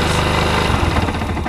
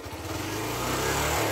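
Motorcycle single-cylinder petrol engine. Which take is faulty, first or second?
first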